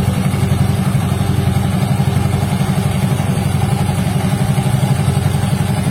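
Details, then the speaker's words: Yamaha Mio Soul GT 125 scooter, about 4–5 years old, idling after the CVT was cleaned: a steady, even putter with no more ticking. The "tek tek" noise came from a stuck bushing in the CVT. "Itu dia bunyinya setelah proses pembersihan ya, langsung otomatis tidak bunyi tek tek tek tek lagi, auto sembuh."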